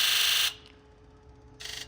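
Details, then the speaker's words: Ford F550 7.3L Powerstroke, injector buzz test: a loud high buzz stops, then a duller, quieter buzz follows; injector 7 sounds most muffled, though a repeat test later showed injector 1 quieter instead; suspected weak injector. "So yeah, 7 is the one that sounds the most muffled."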